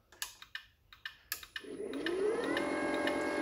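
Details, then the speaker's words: Alfariss gate motor V2 running at full speed after the speed setting is raised back to 100% and saved; relay clicks, then a steady even whine that rises and settles, running normally. "hear the difference in the speed so that there is how you adjust the motor speed"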